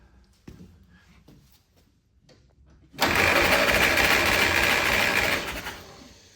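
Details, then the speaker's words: 1946 Willys CJ2a after 40+ years sitting, compression test with the engine warmed up: a short burst of even, regular cranking at about 3.5 beats a second. Cylinder 1 reads about 95 psi; good compression. "Wow, that's over 90. So number one was like, what, 95 or so?"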